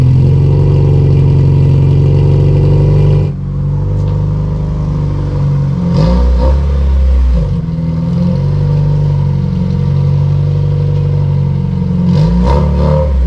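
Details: Honda CRX LSVTEC revved on its canister muffler: a deep, loud drone with a rough, raspy edge that rises and falls with the revs. A broken canister baffle is suspected, which makes it loud on the freeway.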